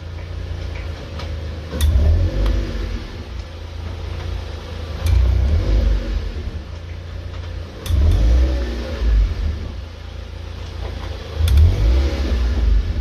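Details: Mazda MX-5 NC driving through the gears: sharp light clicks from the rear every few seconds over the engine. Owner suspects the drive shafts, but the source is unconfirmed.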